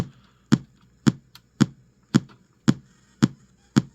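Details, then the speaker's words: GT FORE board with constant audio pop and resetting, on the bench, powered up with no audio output. Sharp, evenly spaced pops about twice a second from the speaker. A faulty capacitor is dragging down the audio codec supply. "It's running, but yeah, we're having that issue, so much so that it is absolutely audio related, because I'm getting nothing. I can hear it in the speaker."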